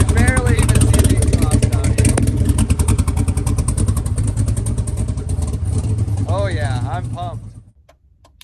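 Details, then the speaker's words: Twin-turbo LS-swapped SN95 Mustang on Holley EFI, first start and drive. Deep, even exhaust rumble with clean revs rising and falling and no stumble; it fires right up but needs tune work. "oh yeah got a little tune work to do but she fires right up"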